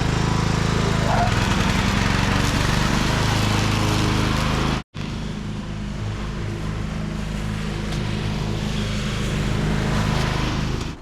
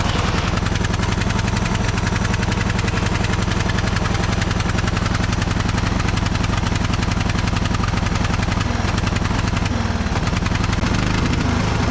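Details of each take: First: Craftsman riding mower after fixing clogged muffler: steady low engine drone with even firing, one brief cut then smooth restart; runs and drives normally. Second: Neighbor's cheap Craftsman riding mower, oil checked, jump-started: small single chugging at about 220 pulses a minute, wavering, won't rev up, no throttle response; owner suspects clogged muffler, rat's nest found.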